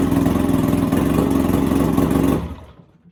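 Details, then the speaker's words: Mercury outboard on 1986 Bass Tracker boat, first start after 6–7 months sitting: fast, steady idle with even angry-bumblebee buzz before shutting off; normal running. "She sounds like a bumblebee, just absolutely pissed off at the world, let me tell you."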